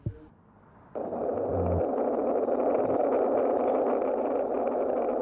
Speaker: donc c'est le bruit qui est générée par la fuite qui est ce ce se transmet au travers de la canalisation et aussi au contact du solde en sous sol pas de doute avec ce bruit